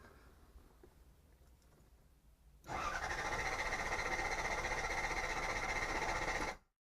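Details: Toyota TE72 with LS400 engine and a just-replaced fuel pump (old hoses reused), tried without jumping the FP to +B diagnostic terminal: starter spins it evenly at about four turns a second for roughly four seconds without a single catch, then stops; cranks, no start.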